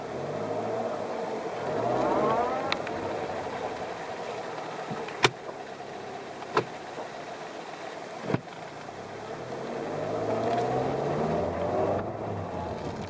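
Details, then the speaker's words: Rattling, crunching sound on initial throttle input over a low drone with isolated clunks; transmission also has a constant whine through all gears, including reverse. Cause undetermined. "uh again there's like this rattling crunching sound uh as soon as you step on the"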